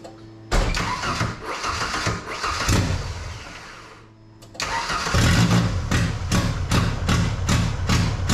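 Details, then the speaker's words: 1977 Ford Pinto wagon with swapped 1993 Mustang 2.3 L EFI engine, first runs: cranks and catches, then idles with uneven lumpy pulses, two or three a second, as if running on two cylinders; owner suspects timing, later a front ignition module. "all right so I've been diagnosing this thing for a while trying to figure out why it runs like crap why it's running on two cylinders"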